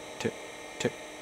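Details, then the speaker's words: Seagate ST-277N 65MB 5.25" drive converted to ST-277R RLL with ST-251 board, low-level formatting at interleave 3: crisp clock-like ticks about every 0.6 seconds over faint hum; normal seeking. "Sounds like a clock. Tick, tick,"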